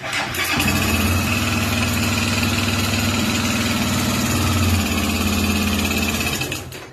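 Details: Honda XRE single-cylinder motorcycle at idle, brought in for an engine noise: steady fast tick about four a second riding over the exhaust thump; internal mechanical noise, cause unknown.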